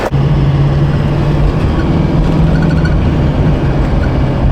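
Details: Duramax diesel truck on test drive after fuel pressure problem, earlier low at idle and dropping on revs, blamed on the fuel pressure relief valve. Steady low drone under road and tyre noise, pulling evenly, no stumble or surging; running normally.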